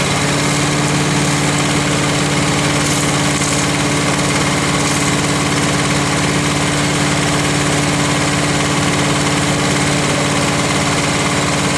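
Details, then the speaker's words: Lawn vac (TracVac) repowered with new larger engine replacing dead 6hp, fresh oil: steady even drone with low hum at idle, surprisingly quiet, no misses or knocks; restarted cleanly with a little choke, runs smoothly. "Surprisingly quiet. Yeah, for as big an engine, yeah. Well, that's idle too."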